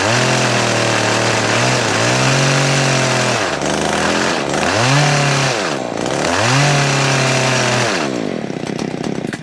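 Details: Stihl KM94RC with hedge trimmer attachment after gearbox gear replacement and full service with new air filter and spark plug: blipped several times, revs rise and fall cleanly with no rattle or bog; carb may need slight tuning; running normally.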